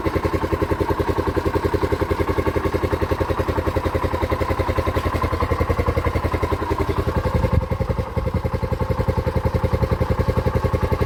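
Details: TVS King CNG/LPG BS4 three-wheeler, checked for a misfiring complaint: single-cylinder beat even and steady at about three pulses a second with one brief rev; runs cleanly.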